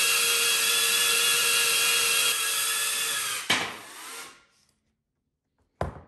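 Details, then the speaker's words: Diatone Taycan 25 cinewhoop, stock ducts before snap-in noise-reduction sleeves: piercing high prop whine holds steady, then spools down; excessive noise attributed to the large gap between propellers and ducts. "there was a lot of gap between the ducks and the propellers were taken so we're going to see if this works to reduce that noise"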